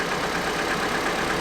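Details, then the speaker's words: Vauxhall Astra after new spark plugs and O2 sensor replacement, engine light still on: smooth, even, much quieter idle with no knocks, ticks or misses, only slight belt squeal; engine sounds healthy. "I'm not sure why but you can definitely hear on camera how much quieter the engine running there's a little bit of belt squeal but the actual engine seems to be running sweet"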